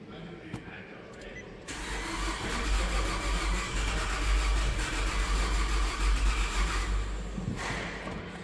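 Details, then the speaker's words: 2011 Nissan Altima on its first start after an engine swap, the old engine having used a quart of oil a week, on a weak battery. Slow, laboured cranking at about three beats per second with no catch, sounding like no compression. Slow crank, no start. "No start first try kind of sounds like no compression wants to start."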